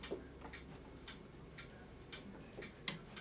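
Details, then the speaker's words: Waterbury calendar clock with the front off: light even ticking, then sharper clicks as the activation lever lifts. The first click resets one side and the second resets the other; the calendar's day-of-week reset is working normally. "So as I lift this, you'll hear it click one time to reset, and then the second time is this side resetting."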